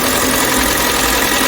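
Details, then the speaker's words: Kia K5 Hybrid with a P0301 code, in D, engine just started after motor-only running: loud, busy idle with fast, hard tapping; before repair, the mechanic says the engine oil is poor, and spark plug gaps later prove uneven. "엔진 소리가 어떻습니까? 딱딱딱딱 하는 소리 나죠? 엔진 오일이 좋지 못합니다."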